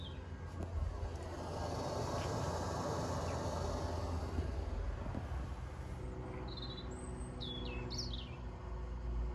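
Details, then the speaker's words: Propex gas heater in a petrol campervan switched from fan setting to flame setting with temperature turned up; steady low fan rush, then the burner lights without bangs or stutter and green LED comes on; normal ignition. "And you can start to hear the flame ignite, and then we've got that green LED."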